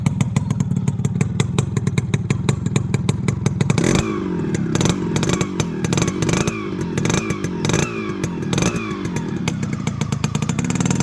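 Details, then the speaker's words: Restored and serviced Yamaha RXZ two-stroke with a custom-made silencer: crisp, even popping with quick throttle blips that rise and settle cleanly, no knocks or rattles; normal exhaust beat. "இப்போ இந்த வண்டி beat சவுண்டை கேளுங்க, எப்படி இருக்குன்னு மறக்காம comment பாக்ஸில் சொல்லுங்க."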